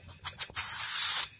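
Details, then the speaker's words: Car AC compressor, test at about 500 pressure: on disconnection a short burst of strong hissing air with oil escapes, pressure drops; internal failure with oil blowing back, compressor unusable. "nggak bisa dipakai. Terdengar suara oli. Tekanannya juga jadi turun."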